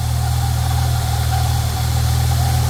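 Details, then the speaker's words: Holden Commodore VS Ecotec V6 at idle after waxing a squeaky drive belt: faint rough grinding whirr; owner suspects a dried-out tensioner pulley bearing with grease gone, not yet confirmed versus the alternator or other pulleys. "that there that noise is coming from that pulley from the the tension of pulley there so inside behind that bolt there is a a bearing and that bearing I tell you what it's probably dried out and it slicked all the grease out"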